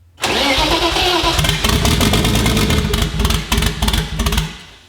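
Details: E36 BMW drift car with big Precision 6062 turbo, first startup on initial tune: cranks, catches, then stumbles and sputters with uneven bursts and dropouts instead of settling; over-fuelling.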